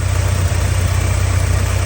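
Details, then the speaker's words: 1984 Porsche 944 that breaks up and won't rev above 2,500–3,000 rpm despite new fuel lines and a leak-free smoke test: starts and idles with a steady, even low rumble, no misses or knocks; the idle itself is normal. "Start it up. Runs and idles perfect."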